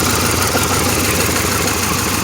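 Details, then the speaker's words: 1997 Pontiac Grand Prix GTP coupe idling with an even low rumble and some vibration. It is still said to be misfiring and shaking a little, with white smoke, a cooling problem and a gas smell in the exhaust. "car's still misfiring it's not getting any better i mean it does run seems like it's running pretty good right now it is shaking a little bit not much"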